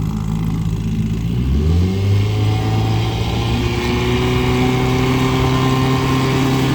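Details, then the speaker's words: Evinrude 5.5 hp two-stroke outboard from about 1961–64, bought as a non-runner, running on a boat: low burble climbs from tick-over to full throttle and settles into an even, steady run with no misses. "That's full throttle, and we're not going too bad really."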